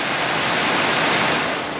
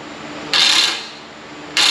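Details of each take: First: 1995 Ford F-150 replacement blower motor bench-tested on battery jumper leads: even airy whoosh, steady pitch, no rattle, wobble or scraping, much better than the old motor; normal blower motor. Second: 1995 Ford F-150 original blower motor bench-tested on a battery with jumper leads; five short bursts of rough, high whirring with a thin squeal each time power is applied; worn blower motor, replaced with new one.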